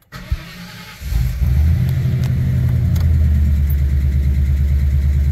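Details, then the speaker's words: V8 Ford Ranger after fuel system upgrade (Walbro 255 pump, fixed kinked feed line, regulator change) and new tune with updated injector size: short crank, fires right up into a steady fast idle rumble; oil pressure good. "fires right up oil pressure is good wait for those oxygen sensor heaters to come on"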